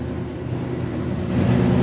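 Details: 1971 Highboy after the carburetor rebuild, with the choke now installed correctly: a smooth, steady engine note that rises to a fast idle with no stumble or miss. Oil pressure is present and the alternator is charging.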